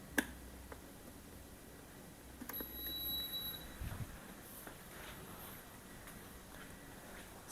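Quiet room, then a single clear high beep lasting about a second as the cooker switches on; normal startup.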